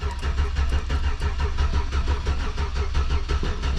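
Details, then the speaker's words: 2004 Chevy Silverado 1500 on a jump box, check engine light on, mileage unknown: even cranking, about three compression pulses a second, no fire. No-start suspected from no compression, a crank sensor fault or a dead battery. "kinda sounds like she's got no compression actually I don't see that crank sensor working so you the batteries too dead or their crane sensors not working"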